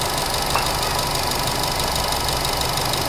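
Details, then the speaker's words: 2012 Nissan Grand Livina XV, 1500cc four-cylinder, 4-speed automatic, checked at idle in the engine bay: steady even hum with smooth whirr from alternator and AC compressor, no knocks or bearing noise; engine smooth, standard, normal. "jadi untuk suara mesinnya mobil ini halus standar normal"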